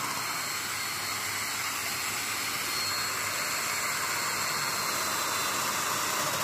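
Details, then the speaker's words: Festool DF 500 after repair of broken parts, a misplaced spring and a misfitted jig. A steady, airy whirr at one even speed with no straining, rattling or grinding: normal running, no longer labouring. "Donc là, j'ai une machine qui remarche parfaitement, qui ne force plus"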